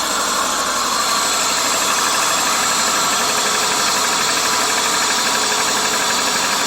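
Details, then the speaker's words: 2001 Subaru Legacy overheating after an upper hose replacement, following a botched water pump job, with cam and crank timing verified: the cold idle is uneven, a loose irregular shaky patter instead of a smooth hum. Rough idle, cause undetermined. "So we're gonna fire up. I'm gonna show you what's going on. I see she's a little shaky."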